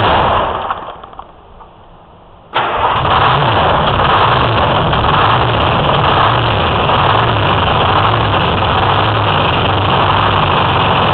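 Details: 04 Ford F-350 with Detroit 6V53 two-stroke diesel and Allison MT-653, start after rebuilt blower install replacing one with leaking end-plate oil seals: starter catches, settles into steady, evenly pulsing idle; runs clean and healthy.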